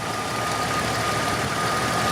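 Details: Rare barn-find Jeep XJ Limited, sat about four and a half years, idling just after an oil pump replacement and left to get hot: smooth, steady idle with an even low rumble and a faint whistle on top, no knocking or ticking; normal idle.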